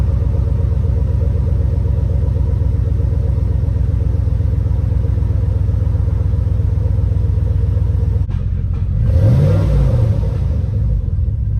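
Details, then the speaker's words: Cadillac truck that sat unused over 4 years, started after fresh oil and filter, new coolant, old gas siphoned and replaced with new 91, new battery: deep, even idle pulsing at a steady beat, no misfire or tapping; normal idle. "Nice. Bam, just like that. Car turns on. Everything's running okay for right now."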